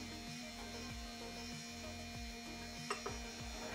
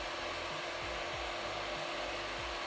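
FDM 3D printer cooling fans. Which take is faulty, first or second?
first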